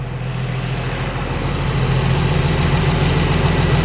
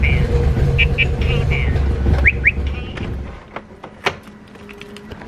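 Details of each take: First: Nissan 350Z after valve cover gasket replacement, restarted: steady, even low rumble at idle with no knocking or misfiring; normal idle, with some smoking expected shortly. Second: Nissan 350Z after valve cover gasket replacement: low, uneven cranking churn for about three seconds with chirps over it, then it dies without catching; rough hard start, and a leak and bad smell follow.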